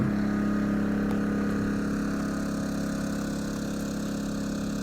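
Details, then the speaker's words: Yamaha EF2000is 2 kW inverter generator outdoors below zero in January, powering a house's lights and furnace: steady, even drone at one pitch, not wide open, no surging or misses; pulling the household load smoothly. "it's not wide open it's definitely dry quite a bit but this is what we got running on the generator"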